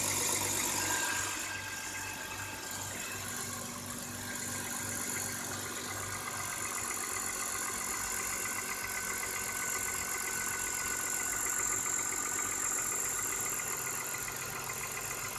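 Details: BMW E39 with M54 petrol engine at cold start, outside temperature +3°C, idling with a light quick metallic knocking or rattling; cause unknown.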